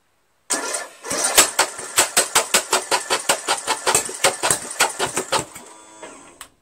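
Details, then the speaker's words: Craftsman lawn tractor with Briggs 17.5 HP engine, new ignition coil fitted, muffler off: steady, even chuffing crank at about two compressions a second, never firing; muffler and coil ruled out, timing suspected. "not the muffler not the coil I think it's still the timing"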